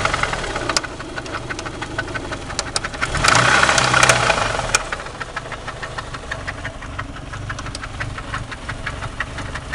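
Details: '93 Eagle Talon turbo, stock 7-bolt 4G63, idling: sharp regular knock about four per second; verified spun/worn connecting rod bearing, found via screwdriver test showing piston play and oil pan removal showing rod-to-crank play.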